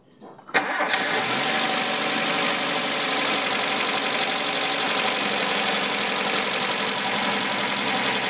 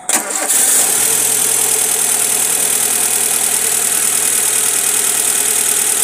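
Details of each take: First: Suzuki Futura injection (2007) after fixing a coil with no spark: engine catches at once, rpm rises then drops to a steady, even idle with no shaking or hunting, unlike the earlier shaking misfire. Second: Engine running rough with no check-engine light, one of two ignition coils giving no spark after a long trip: cranks, catches and settles into a hissy idle with an uneven, stumbling beat from the dead coil.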